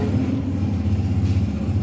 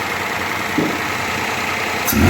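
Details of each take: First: Toyota Vitz 2007 CVT with starting trouble: uneven, stumbling low idle with irregular missed beats and lumpy pulses, engine not holding steady rhythm; engine misfire. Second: 2007 Toyota Vitz CVT, brought in for starting trouble and misfiring, after repair: the engine turns over, catches and settles into a steady, even idle with a brief blip, no stumbles or misses; normal idle.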